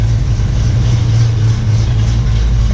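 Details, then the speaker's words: 1967 Ford Mustang 289 V8 just after rebuild and first start, before timing set; small fuel leak at pump-to-regulator line; runs nice and smooth, deep even idle rumble with no knocks or misses. "so far I'm happy I'm happy it started up it seems to run good nice and smooth"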